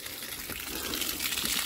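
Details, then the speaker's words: Iveco Daily camper van, parked since October; water from hose gushes out with steady hissing as fast as it fills, running from behind the crank pulley; engine froze. "It is literally running from behind the pulley, look. She's frozen up. Yep, she is frozen up."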